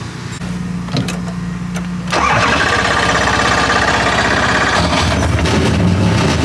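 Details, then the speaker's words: Drift car after its clutch and throw-out bearing were repaired: the starter cranks briefly, then the engine catches cleanly and settles into an even, steady idle with no knocks or grinding. "I'm gonna light this thing up, drive it around."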